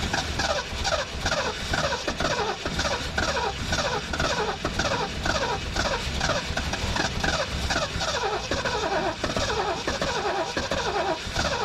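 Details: 1973 Mercury Grand Marquis, 429 Ford V8, 55k miles, long-sitting, fuel system suspected clogged, before running off a boat tank: steady rhythmic cranking about two beats a second, never catches; cranks, no start.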